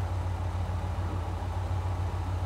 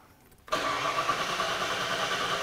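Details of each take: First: 37-year-old Ford Bronco with new replacement TFI-IV ignition module: steady low rumble, even unbroken firing beat, no misses or stumbles; smooth idle, scope shows flat stable current limiting control. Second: 37-year-old Ford Bronco with TFI-IV ignition module and new distributor, intermittent stalling: starter cranks steadily but never catches despite PIP and SPOUT signals on scope; crank no-start from faulty new ignition module, starts after key cycling.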